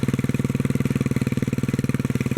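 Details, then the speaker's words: 1957 Bolens single-cylinder after removing fuel pump, governor work and cleaning kill switch, fuel tank refitted: steady even fast idle, about twenty pulses a second, governor slows it on start; runs well, with a rattle believed to be in the muffler. "governor slowed it down when it started it's got a rattle to it i'm pretty sure that's in the muffler"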